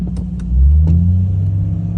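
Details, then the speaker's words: Jeep Cherokee in neutral, foot off throttle: engine surges and holds high idle up to 2000 rpm. "neutral revs all the way up as you can see right there the idle was going all the way up to 2000 rpm that was with my foot not anywhere near the gas"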